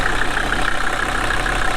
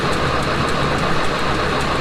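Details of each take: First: Steady, even diesel clatter at idle with no misses or knocks, heard while jump-starting a long-sat Mercedes 240D OM616 four-cylinder from another five-cylinder Mercedes. The 240D's fuel rack was stuck wide open and it ran away briefly. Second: Mercedes 240D OM616 diesel that sat about 15 years, cranking with a truck jump-start. A steady churning turnover never fires. Fuel reaches the cracked injector lines but is nasty sludge; owner suspects bad fuel and stuck or gummed injectors. Some compression smoke appears.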